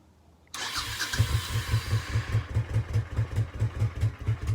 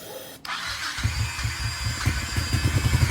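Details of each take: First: Honda Shadow Sabre 1100 V-twin, fuel added, otherwise untouched: fires up and settles into an even, lumpy beat of about two and a half pulses per second off choke; running cleanly, minor oil seep from a loose cover. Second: Honda Shadow Sabre 1100, low on oil, sprayed with starting fluid/carb cleaner: a sharp catch, then uneven chuffing settling into a quicker regular beat; runs briefly on spray with no fuel feeding it.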